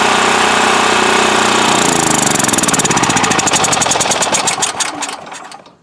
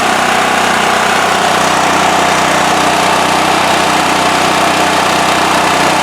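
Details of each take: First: Westinghouse WH7000EC 7000 W electric-start generator: the engine chugs steadily, then goes ragged and dies over two seconds from fuel starvation. The fuel valve had been left off; it ran only mostly choked, and the spark arrestor was plugged. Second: Westinghouse WH7000EC 7,000 W generator with electric start, after carburetor cleaning and removing plugged spark arrestor: loud constant hum with no surging, misses or knocks; runs smooth and steady.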